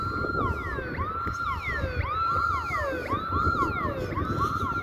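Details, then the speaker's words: Alarm siren, possibly a regular burglar alarm, sounding near a parking lot on a Sunday while the place is closed; a loud tone sweeps up and down about once a second, nonstop. The trigger is unknown; an animal or a hole under the fence is suspected. "Something obviously set this alarm off. If that's a siren, like, I don't know what kind of siren that is. Maybe it's just like a regular like burglar alarm, but it sou"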